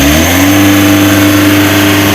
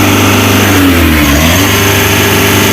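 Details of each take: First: Mitsubishi L300 Euro 4 diesel at just over 4,000 km, weak on climbs: revs rise briefly then flatten at one steady pitch, refusing to rise further; a misadjusted clutch pedal switch caps engine speed at about 3000 rpm. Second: Mitsubishi L300 Euro 4, about 4,000 km, weak on hills: repeated free-rev blips climbing freely to full revs and dropping back cleanly, the normal revving shown for comparison with the rpm-limited fault.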